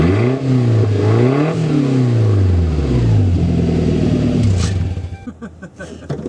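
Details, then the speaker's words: Toyota Tacoma 2.7L 3RZ with 2-inch exhaust, on a cool day, muffler cut off before fitting a Thrush glasspack; loud raw open-exhaust bark through throttle blips. "Alright, so that's pretty cool. That's what the truck sounds like with the muffler cut off."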